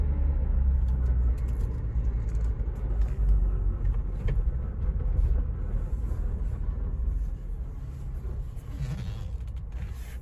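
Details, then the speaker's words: 2022 Ford Bronco Badlands with 7-speed manual, coasting: a low uneven churning rumble under road noise, like a washing machine or scraping ice. It persists with the clutch in and no brakes applied, so the owner rules out brakes and clutch; cause unknown. "It's like a washing machine cycle, almost like a scraping of ice. It's not brakes, it's not clutch, because I'm hearing it when I'm just going with no clutch, no brake."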